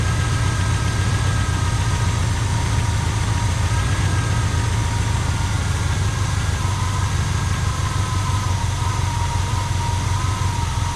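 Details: 1985 Pontiac Trans Am V8, 34,000 miles, sat since 1998: deep, steady rumble at an even idle but keeps going only on poured-in fuel; carburetor not feeding it, stuck float suspected.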